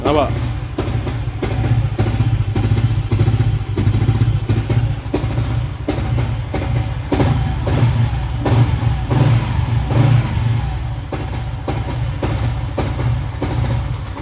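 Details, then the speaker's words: Malaysian motorcycle modified with dome piston, valve springs and racing cam, plug and play, not yet tuned or dyno tested: deep, lumpy exhaust stumbling as the throttle is cracked. Timing and starting are inconsistent. "Macam ginilah bunyi dia. Okey. Kadang kena kadang kena kadang tak kena. A kadang ada yang susah hidup, kadang senang hidup, kadang timing cantik, kadang timing berterabur, macam-macam."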